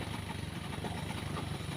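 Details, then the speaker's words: Pinoy 155 motorcycle, very hard to start, kicks and runs like a galloping horse: low, lumpy, uneven idle with loping pulses; cause not yet found, air filter or air cleaner under the seat to be checked first. "Ayan, kung nakikita nyo ay sumisipa po yung motor ng ating katropa."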